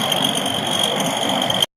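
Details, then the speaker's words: Ford F-150 running evenly with a thin, steady high whistle that doesn't change; the source is unclear, but the transmission is suspected. "I can't tell where that noise is coming from. Sounds like it's coming out of the tranny."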